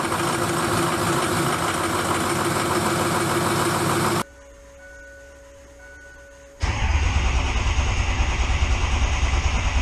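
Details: Diesel truck started with ether on weak 7-year-old batteries after hot no-start repair with turbo intake duct refitted; steady clatter drops out briefly, then catches again and settles into a firm, even run, starting properly after a year.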